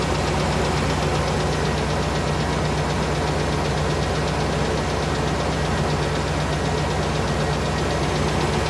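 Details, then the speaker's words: 1998 GMC Savana 5.7 V8, cold start around 29 degrees, warmed past three minutes, mic by wheel well: faint quick tick in time with engine over idle, good oil pressure, no check light; possibly noisy lifter, improved. "[Music] i can hear the tick it's definitely better than it has been so i'm hoping for the best"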